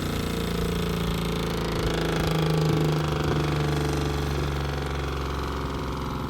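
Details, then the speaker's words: Solar-powered homestead water pump in pump house, first run after hookup with sink open to purge air: even, steady motor hum, constant low pitch, no rattles or surging; pump running normally, water flowing into house. "I can hear it. I can hear it filtering through."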